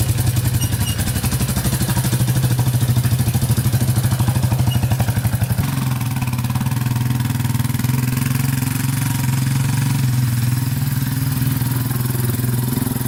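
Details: 2001 Yamaha Warrior 350 ATV with full exhaust, at idle and revving; loose uneven top-end clatter over the single's thump, owner suspected timing chain, found to be valve tick from excessive valve clearance.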